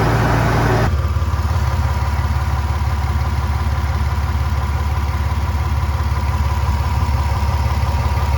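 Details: 1999 Toyota 4Runner (3rd gen), well kept and mechanically sound: engine already running eases down to a steady idle with a regular pulse and no ticks or knocks.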